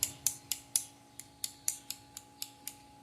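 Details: Yamaha Tenere 250 motorcycle starter motor, bare on the bench: sharp metallic ticks about four times a second as it turns, from a magnet come loose inside the housing; owner first suspected lack of lubrication on the armature shaft end.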